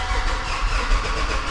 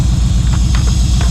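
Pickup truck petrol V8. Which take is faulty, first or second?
first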